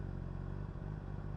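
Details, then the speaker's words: 2010 Honda CBR600RR (PC40) 599cc inline-four with a Yoshimura exhaust, hot start, a known problem: it started immediately this time; deep, even rumble with no misses or rattles, normal hot idle. "when the engine is hot it doesn't start immediately oh it does wow amazing"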